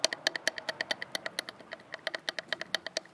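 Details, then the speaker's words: Karpaty moped that stopped pulling, cylinder and head removed: quick sharp metallic taps as the crankshaft is rocked by hand, a bad crankshaft knock needing crankshaft replacement; a piston ring was also found cracked, owner suspects overheating. "это вообще ужасный стук что-то с коленвалом ханае мы короче коленвалу надо будет менять это всё дело"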